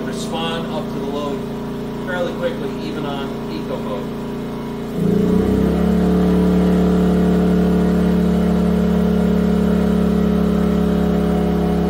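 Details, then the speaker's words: Yamaha EF2000iS inverter generator on propane after tri-fuel conversion, leaned out, Eco mode on low: steady drone stepping up in pitch around five seconds as load comes on, then holding even and smooth; normal running under load. "nice on low it doesn't seem to be making much of a difference but it can"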